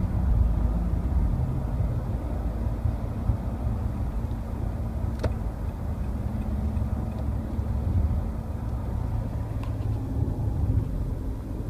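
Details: 2013 Nissan Pathfinder cruising: a steady low hum and buzz drones under road noise, which only started recently after the first 35k; owner unsure if normal.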